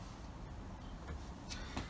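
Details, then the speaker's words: Motorhome diesel heater, retested after fitting a new leisure battery because the old one could not supply the required 12.5 V: steady low rumble with even burn, no popping or surging, heat exchanger up to full; running normally. "Right, okay, so the diesel heater is now working. Finally, the new battery's performing well."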